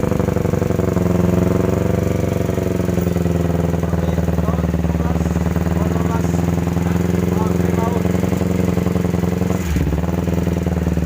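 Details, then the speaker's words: 2009 Kawasaki Ninja 250, brought in as a non-starter: rough twin idle with fast, uneven metallic ticking from the top end over the exhaust drone; teardown found the left side of the crankshaft damaged. "jadi motornya tadi sempat hidupkan ternyata bunyinya lumayan kasar ngelitik di bagian recsel"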